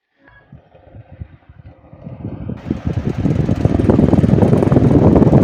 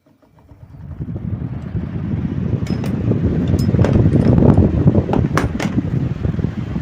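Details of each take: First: Table fan with a shaft problem making noise: spools up with a steady low rumble and a rough, rapid flutter that grows with speed, suggesting a worn or dry shaft, though the cause is not confirmed. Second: Table fan after shaft repair, problem solved: the whirr rises smoothly as it spins up, then holds steady with no grinding or wobble apart from a few light clinks.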